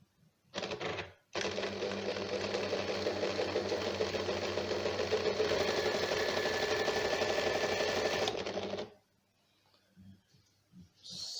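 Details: Janome sewing machine before repair, making noise while running: a fast, even clatter of about four beats a second, louder and rattlier than a healthy machine. The cause is unclear; the repairer mentions tightening something.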